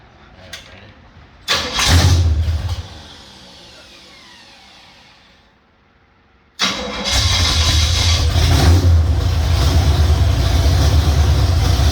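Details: 351 Cleveland V8, first start on a home-built run stand with shaker scoop fitted: starter whirs, engine catches and settles into a steady, even idle with a deep low rumble; normal start and idle.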